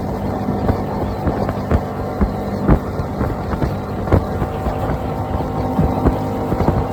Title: 60 Honda had bad fuel pump replaced fuel pump good running good now! #hondamarine #customboats